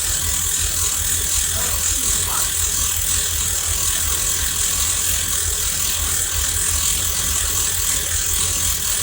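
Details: Carbureted third-gen Camaro IROC first start after over a year of work: fast, uneven light ticking and rattle over a hissy running engine, about two per second; no fuel leaks, source unclear, some possibly exhaust.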